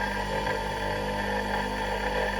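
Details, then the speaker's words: Capacitor motor connected to its working winding only, without a capacitor, spun by hand in the opposite direction: an even, steady hum at constant pitch with no knocks. It is running normally up to speed. "Now I can spin it in the other direction We turn it on It has picked up speed in the other direction"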